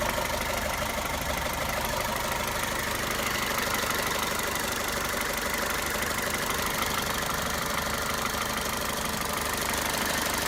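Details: Toyota 1.8 VVT-i engine at idle: busy idle with fast uneven ticking clatter about three per second riding over the engine; abnormal noise, cause unclear.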